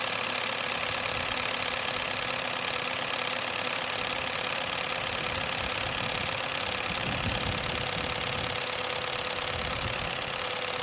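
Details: Lidl Nevadent water jet flosser on its soft setting with a full tank: a fast, even pulsing buzz with no stutter or strain, the pump working normally.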